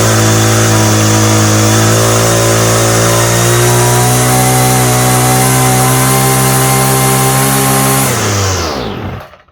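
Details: Homelite string trimmer, no model number, new non-OEM Chinese aftermarket carburetor; high buzzing run wavers slightly in pitch, then dies away over about a second, running poorly. Cause suspected, not confirmed.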